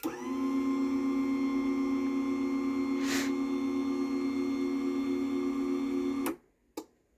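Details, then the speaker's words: Cheapest Genie garage door opener running: smooth even motor hum at one steady pitch for about six seconds, then a clean stop; much quieter than the Chamberlain DC motor openers. "That is much quieter than the Chamberlain is. So Genie definitely does know how to make some quiet motors."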